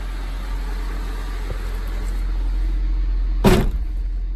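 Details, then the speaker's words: 1995 Honda Civic Si hatchback, heard from inside the cabin after reinstalling the OEM lower motor mounts in place of solid eBay racing mounts: a low, steady rumble with no vibration or buzz. It is a smooth, quiet normal idle. "also a lot quieter you know I'm not hearing the - you know vibrating or anything like that so it's just quiet as can be"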